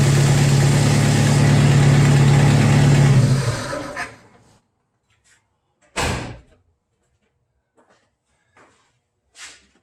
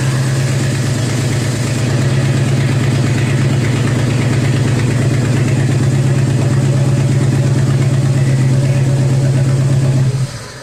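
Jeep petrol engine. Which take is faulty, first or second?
second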